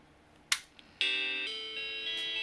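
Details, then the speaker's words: Macintosh SE/30 logic board after swapping ROM SIMM for known good one, no RAM installed: single click, then clean sustained startup chime; original ROM SIMM faulty. "okay well but at least now we've got you know a chime so that works"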